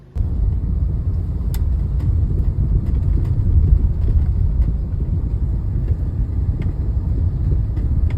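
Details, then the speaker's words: Suzuki Ertiga at road speed, in-cabin: deep constant droning rumble with faint thumps; caused by worn front strut mount support and stopper, fixed by replacing them after links, rack, shocks and bearings didn't help. "nah cara untuk ketahui bahwa komponen yang rusak itu adalah support dan stopper stock breaker depan"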